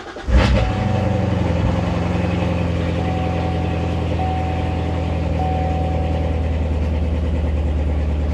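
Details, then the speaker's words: C7 Corvette Z06, stock except an X-pipe (no exhaust or headers): starter crank, sharp flare, then settles into a loud, fast, even burble at high idle; healthy V8 cold start. "Uh, car sounds like [ __ ] amazing at cold start."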